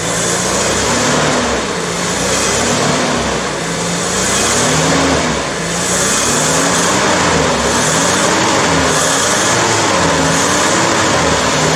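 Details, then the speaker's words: 1983 Toyota Hilux 18R engine idling just after timing chain replacement that cured bad rattling; even idle with gently wavering hum, no knocks or rattles; runs smooth and healthy. "down so after 3 days of wrenching on this thing we've gone to pretty much complete now she runs smooth everything's in there so yeah can't be happier than that"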